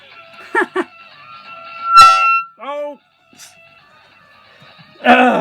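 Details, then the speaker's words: Restored 1962 Brenell 3 Star reel-to-reel tape recorder amp tested with a microphone: a sharp tone near 1 kHz swells into a loud feedback howl, mic too near the speaker, then fades. "i'll just uh i don't like that howling noise can't stand it"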